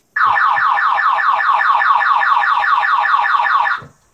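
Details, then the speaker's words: Aging Toyota MR2 with start-then-stall fault, battery reconnected: loud warbling alarm siren at a rapid pulse about two and a half cycles a second, stopping abruptly; car alarm triggered on battery reconnection. "Bloody alarms, I hate them."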